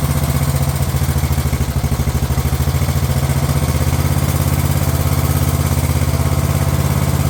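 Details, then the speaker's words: Craftsman LT1000 lawn tractor running on a previously rebuilt Walbro carb that replaced the poor-running aftermarket carb: steady, even low thrum with smooth beat, no misses or stumbles; normal running. "Funny just how much a machine can change just by just running better."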